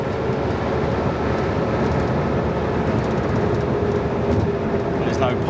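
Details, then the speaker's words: Ferrari 512 BB flat-12, after misfire diagnosis and service, full-throttle acceleration on a bypass: strong steady roar with no exhaust pops or bangs, indicating mixtures not set out; normal full-throttle acceleration. "Again, if you get the mixtures out a little bit, you get a a lot of popping and banging in the exhaust. There's no pops or bangs on this."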